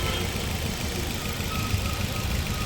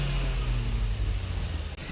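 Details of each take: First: Maruti Suzuki Ertiga petrol engine with aftermarket CNG, after timing chain refitted and timing marks aligned: idles with a steady, even low rumble and no missing beats, where before it missed badly on two cylinders with no pickup. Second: Maruti Suzuki Ertiga petrol engine with aftermarket CNG, at idle: rough lumpy idle, cylinders 1 and 2 dead, running on 3 and 4 only; removing plug sockets made no difference.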